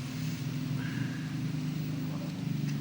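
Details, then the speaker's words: Honda Vario scooter: rough gravelly knocking growl steady over idle from the magneto side; the seal had slipped off the magneto rotor seat and its rubber had hardened, causing the growl. "Untuk silnya itu lepas dari dudukan spool magnet ini ya. Ini lepas dan karetnya mati sehingga timbul ngorok lah, krok terus seperti itu."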